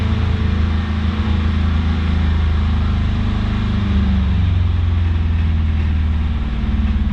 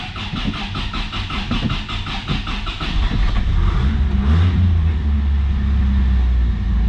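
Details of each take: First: 1983 Toyota Celica, carbureted 22R four-cylinder just started cold: idles low and lumpy, beat wavering unevenly as it struggles to hold a steady idle while warming up. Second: 1983 Toyota Celica ST, 22R four-cylinder, cold start: cranks, fires and picks up with a couple of throttle blips, then holds a smooth, even low drone, running well.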